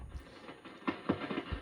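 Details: RME-69 communications receiver, recapped, no antenna connected: faint irregular crackles and pops over hiss only on band 1, from arcing in a phenolic band-change switch wafer between the RF stage and mixer.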